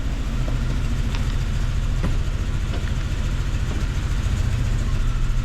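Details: 1999 Jeep Cherokee XJ 4.0, earlier judged a dead engine, idling in gear shortly after its first restart. It has a steady low thrum with a slightly uneven beat (possible miss) and has kept running about 15 minutes without stalling.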